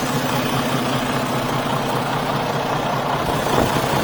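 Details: Truck just collected from Freightliner after repairs including head gasket, hood open: steady, even diesel idle with a low regular chug and no knocks or misses; engine sounds healthy.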